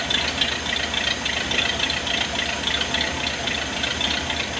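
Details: 1979 Ford barn-find truck, first crank after the fuel pump and fuel lines were installed: the engine catches and holds a steady, even idle on its own fuel pump, with no misses or knocking.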